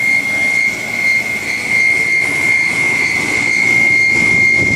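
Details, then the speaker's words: Home air conditioner condenser fan: a loud, steady high-pitched squeal holding one pitch over the fan noise, from the motor shaft moving up and down as the bearing wears away; worn fan motor bearing. "Hear it kind of go away, the sound. So what happens is the shaft in the motor is moving up and down and the bearing's wearing away."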